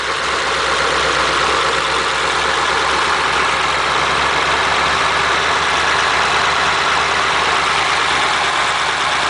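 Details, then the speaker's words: Flathead V8, French block with 4in stroke crank, bored 3-5/16 (about 276 cubic inches), twin carbs, in a Model A roadster on '32 rails, after about 18 months parked: steady, even, smooth idle, no knocks or misses. "amazing is it how it runs nicely after been parked like that"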